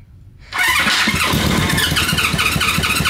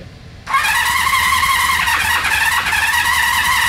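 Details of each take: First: 1972–74 Honda CB350F inline-four 350cc, sitting since the 1980s, timing possibly off, oil added to two weakest cylinders: after a quiet moment it catches and fires unevenly three to four pulses a second, running roughly and briefly while cranking. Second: Honda CB350F inline-four, 350cc, sat since the 1980s with mud wasp nests in cylinders, electronic ignition: starter spins up into an even high whirring crank with no grinding or slipping; normal starter cranking, owners suspect timing off.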